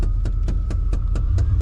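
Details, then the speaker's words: Vehicle being driven, with crisp, even clicks about four times a second over the low cab drone. The clicking comes from a failing HVAC blend door actuator, the part that moves the AC doors. "and that clicking sound that you guys are hearing that's a blend door actuator so there's an actuator that moves AC doors yeah that one's taking a taking a dump on me"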